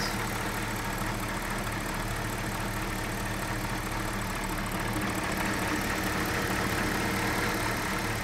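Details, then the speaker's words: 2004 BMW 545i E60 bought at an insurance auction, idling with the hood open while warming to operating temperature: smooth, even V8 rumble with no lifter noise, knocking or belt squeal; normal idle. "I mean, it sounds good. There's no like lifter noise, there's no knocking. And no squealing from the belts."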